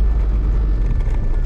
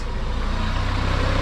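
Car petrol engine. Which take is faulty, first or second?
first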